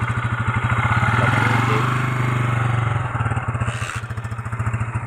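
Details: Motorcycle with hard starting and stalling; uneven putt-putt firing about three beats a second that stumbles and fades. Engine sputtering; carburetor suspected (clogged or overflowing), not confirmed.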